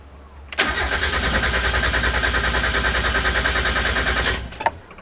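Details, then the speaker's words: 1990–1993 Mazda Miata with newly installed SpeedyEFI plug-and-play standalone ECU: starter spins evenly about three pulses a second for nearly four seconds, never catches; stock sensor MAP calibration not yet set. "okay we got to do something else then so I totally forgot a important step for doing this without the other sensors hooked up with your stock sensors"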